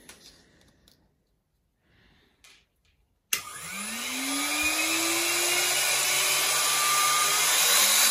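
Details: Used German Precise Super 65 drill press, air-cooled, up to 45,000 RPM: motor starts and tone rises smoothly to a high steady whine with even cooling-fan rush; clean normal high-speed run.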